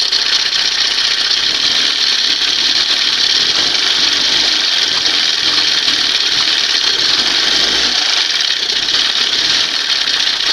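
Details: 1971 Johnson 20 HP two-stroke outboard after swapping its cleaned 25 HP carb for a late-1980s carb, warming up: even buzz holding one speed, no misses, surging or rattles; smooth running.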